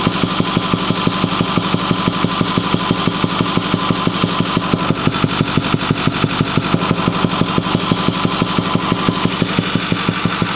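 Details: Ford 6.4L diesel, 208,000 km (129,000 mi), Banks Six-Gun and Ram Air air cleaner, at idle: regular deep thump about twice a second from the intake; engine otherwise smooth with full boost, cause unknown.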